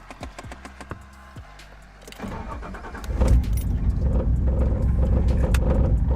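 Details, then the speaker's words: Nissan R33 Skyline turbo on first start after fitting new Splitfire coil packs and spark plugs to cure spluttering. Cranks and catches, then an uneven, stumbling idle with a skipping beat; one coil pack seems not plugged in properly, causing a misfire. "Alright, it seems like one of them might be... Seems like one of them might not be plugged in properly."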